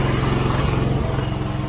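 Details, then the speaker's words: 1983 John Deere 165 mower after carburetor cleaned and original carb refitted in place of a Chinese one: even, steady low putter with regular firing and no popping or backfire; normal idle, considered fixed. "Well, sounds good to me."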